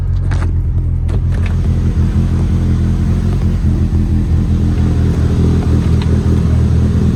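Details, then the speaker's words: Evo after transmission replacement (came in for throwout bearing, transmission found bad): first startup with engine settling into a steady, even idle, smooth low rumble, no knocks or whine; sounds healthy. "all right sounds good let's take it for a ride"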